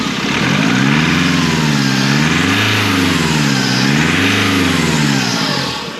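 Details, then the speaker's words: 2005 Nissan X-Trail diesel, running a bit lumpy, turbo whining, boost leak suspected: revs rise and fall with a hollow, throaty turbo whoosh; no air filter was fitted, leaving the turbo intake open. "now I thought with this yeah when I was revving it it sounded a little bit throaty and you got like a washing of the turbo noise"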